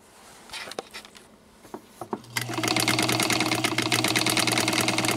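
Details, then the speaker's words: Vintage sewing machine, received badly damaged, run at full power on the pedal before any cleaning or oiling: motor whirs into a fast, even needle chatter that sounds dry and sluggish, needing lubrication. "all right so again listen to it at full power this is full power it's not horrible it's not absolutely horrible"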